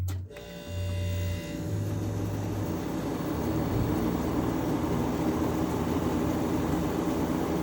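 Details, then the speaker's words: Window air conditioner running on medium cool: steady, even fan whoosh with a low hum and no wobble or thump; it runs much smoother now that the fan blade is balanced, though the handle and control panel rattle. "It runs a lot smoother now that the fan motor is, the fan blade's balanced."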